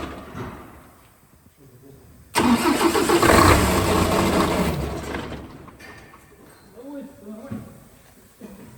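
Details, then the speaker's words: Mercedes Actros OM501 diesel truck, first start after cylinder head repair for intake valve recession and valve adjustment; cranks and catches with a loud burst, then settles to a quieter steady idle; normal idle. "Vâng, có vẻ như nó đang hoạt động, vâng."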